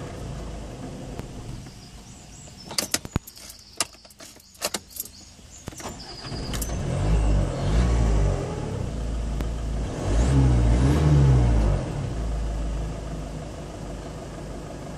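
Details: Mazda 3 2.0 RF diesel Sport with hard starting and cutting out: clicks, then revs surge twice and sag back instead of holding, from a blocked fuel filter changed only six months earlier; runs fine after filter change.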